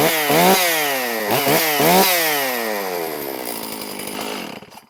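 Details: Stihl MS460 chainsaw, first start after piston replacement (old piston showed aluminum transfer; possible air leak suspected), fired on one pull: revs up crisply on several throttle blips without misfire, then winds down smoothly; sounds healthy.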